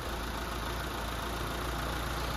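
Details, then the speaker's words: Mitsubishi Lancer 4G15 overhauled after it overheated, freshly rebuilt with piston rings still seating: even, steady low hum at idle with no knocks or ticks; normal, smooth idle. "Sabi, tahimik. Ayan o. Tahimik sir. Yan, suwabe na yung andar."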